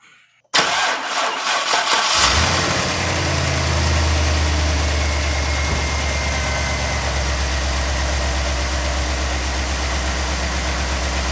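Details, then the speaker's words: 2004 GMC truck, idling after an exhaust manifold leak repair, no muffler fitted yet: starts and settles into a steady, even idle with quite a bit of light injector tick, which is normal for these; sounds good, normal idle. "it's got quite a bit of injector noise but that's just how they are it sounds good"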